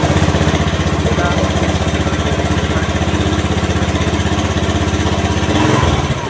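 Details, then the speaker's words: Honda Beat FI automatic scooter that wouldn't start on smooth starter (no check-engine blink, battery normal), after repairing nearly broken wire at side-stand switch socket: even putt-putt about four pulses a second, no stumbles; idling normally. "dan benar saja motor jadi hidup kembali masalahnya cuma sepelek cuma karena belum pengalaman jadi tetap saja musmet"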